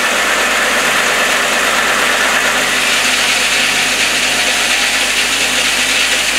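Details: VW VR6 after its 6-month service, oil filter housing leak fix and new air filter, started up: smooth, even hum with a steady hiss on top, no knocks or misses; clean, healthy idle.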